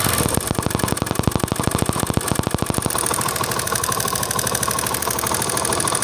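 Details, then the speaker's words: Motorcycle with hard kick, started and idling: quick regular tick-tick over the engine beat, attributed to tappets, fixed by tappet setting. "जी तो दोस्तों जैसा कि आपने इसमें देखा कि इसमें एक टिक टिक की आवाज़ आ रही है, इस आवाज़ को भी ख़त्म करना है।"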